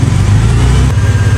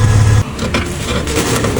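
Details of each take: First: Mercedes-Benz engine running before repair: faint thin whine riding above the low rumble, traced to the alternator and louder when revved; alternator noise. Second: Mercedes-Benz running after alternator noise repair: smooth low engine drone with no whine or rattle from the engine front; the alternator noise is gone, also none when turning the steering; charging system sounds quiet and healthy.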